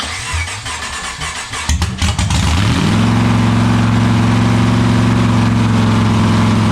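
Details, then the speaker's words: Freshly built 7.0 L (427 ci) LSX V8, fired up for a few seconds to data-log: about two seconds of uneven cranking, then it catches into a smooth, steady, fairly high idle near 1,666 rpm; runs pretty good, cause of high idle unknown. "so just like that it starts up sounds like it runs pretty good i only let it run for a few seconds"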